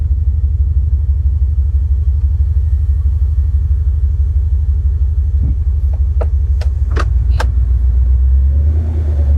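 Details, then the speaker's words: 1989 Mercedes W126 420SEL V8 bought as-is, started at idle: deep, steady throbbing rumble far louder than it should be, source not yet traced; loud exhaust rumble. "so as you heard it's kind of loud if this was a Camaro you'd say man that sounds good"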